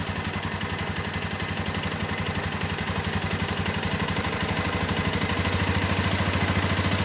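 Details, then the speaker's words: Flood-damaged Minerva MX 150 after full engine rebuild with new standard piston: even single-cylinder thumping rising smoothly with revs, no knocking or grinding; smoother than before, some vertical-piston roughness normal. "jadi suaranya yang kasar dan yang halus kadang tidak terlalu beda lebih sama tapi ini sudah lumayan halus dibandingkan dengan yang kemarin"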